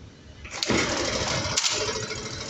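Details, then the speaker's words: Bajaj Kristal DTS-i four-stroke scooter after refitting the carburettor's missing nut, battery flat so kick-started: starts on one kick and settles into a quick, even, rattly idle, air filter wire still disconnected; normal start. "आप देख सकते हैं कि लगाने के एक kick के अंदर ये गाड़ी चालू हो गई। अब आप समझ सकते हैं कि ये गाड़ी कितनी अच्छी है, और नहीं तो अभी किक मारते रहते।"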